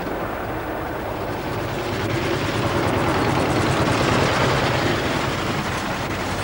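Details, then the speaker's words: 1907 Mercedes, four cylinders of almost 2 litres each, running on petrol at very low revs: slow loping chuff about three beats a second over a steady rumble, valves just audible opening and closing; normal running. "this lovely Mercedes from 1907 has only got 4 cylinders, but each one is almost 2 litres in capacity. It's so low revving, you can just about hear the valves open and close."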